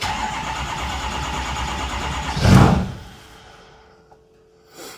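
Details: Ford 6.0 diesel truck, cranking with a scan tool watching the IPR percentage: a few seconds of steady starter churning, then a thump and quiet with no catch. The IPR reads 85%, which the owner believes is full dump, and he is unsure whether the reading or the sensor is bad. Crank, no start.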